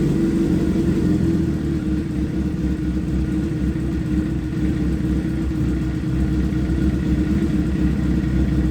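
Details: Wrecked project motorcycle, first start with a freshly charged battery and a bent radiator, run only briefly since temperature can't be monitored: even low rumble holding steady, no ticking, knocking or stumbling; running smoothly after startup.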